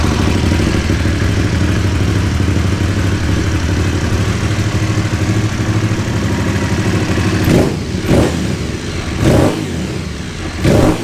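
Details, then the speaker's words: Cold start and low idle with throttle blips on an Aprilia Caponord 1200 Rally whose airbox intake sleeve has been cut: deep, loud intake roar, far too noisy for slight power gain; loud intake noise from modified airbox. "allez à toute petit démarrage à froid pour vous faire entendre le bruit avec la boîte air le manchant de boîte air découpé"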